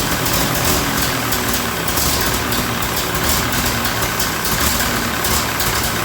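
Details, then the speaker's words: Ferguson TEA20 85 tractor running after valve adjustment, engine in poor health: rough uneven idle with sharp puffing chuff from a massive exhaust manifold leak on one side, gasket suspected. "I've got a massive exhaust leak over on this side. I gotta take the manifold off and see what's going on with the gasket."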